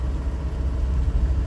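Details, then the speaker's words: Restored 1974 small truck, long stored, road test with quarter tank of gas: smooth even low engine rumble under way, no knocks or ticks; runs really nice. "looks like we've got a quarter tank of gas runs really nice"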